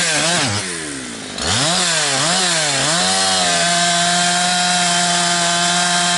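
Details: Husqvarna 362XP Special with wrong ignition coil and Walbro carb, cutting firewood: pitch swoops with gargling break as revs climb toward 11,500–12,000 rpm, then flat drone; fine near 9,000 rpm dogged in; not carburetion, four-stroking at rev limit of wrong coil.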